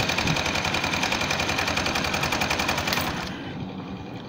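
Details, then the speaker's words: CMG motor tricycle engine: loud, rapid metallic clatter from the generator side, louder as throttle increases, reducing power and speed; worn timing-gear pin bore letting the timing gear knock. "صوت كركبة جامد طالع من الموتور، وبالتحديد من ناحية دش الكهرباء. طبعا كل ما بتزود بنزين كل ما الصوت بيعلى،"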